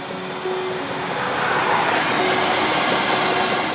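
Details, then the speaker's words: Chinese diesel heater in a van after replacing the faulty glow plug behind an E03 error, soot cleared out: steady, even rushing roar from fan and burner with no sputter or surging; running cleanly and warm. "all working all warm soot's all cleared out it's all going good"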